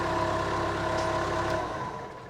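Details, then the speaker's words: Case 430 diesel after fitting a new starter, cold start at about 60°F after sitting a couple of days: fires right up, revs smoothly and evenly with clean pitch, winds down without misses or knocks. "Oh yeah, way better. Oh, that thing just fires right up. That's a cold start."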